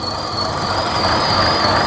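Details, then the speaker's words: 2014 Buick Encore 1.4L turbo, fuel trim code, running rough: steady high squeal over uneven idle from excessive crankcase vacuum, air sucking past the front or rear seal; fix is replacing the valve cover gasket. "you see how much vacuum it's building in the crank case that's air sucking past the rear seal or the front seal so we got to replace this valve cover gasket to fix this"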